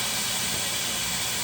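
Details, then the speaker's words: 1970 Oldsmobile Toronado 455 after first running, no fan fitted, old cooling system, water pump stopped when shut off: steady loud hiss of coolant boiling off; overheated. "Oh, we have overheated it. Well, that's a good time to stop."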